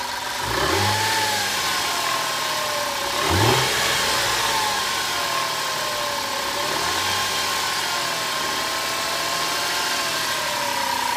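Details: 2005 Audi A4 3.2 petrol V6 starts, blips once, then idles with a steady high whine and light uneven ticking; abnormal engine noise, cause unknown.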